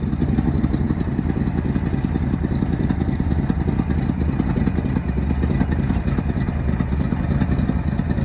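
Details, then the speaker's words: 1972 Ford F-350 auction truck, just started via jump at the solenoid, idling on the trailer: rough fast puffing tick over lumpy idle, suspected exhaust leak on one side at a joint (donut gasket). Not confirmed. "Sounds like maybe an exhaust leak on this side."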